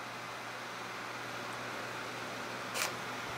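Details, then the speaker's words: Vintage 12-inch Windmere oscillating fan after disassembly and oiling: quiet steady low hum and even air hiss with no rattle or scrape; it was noisy before. "it is plugged in and it'll run here it's nice and quiet which it was not before"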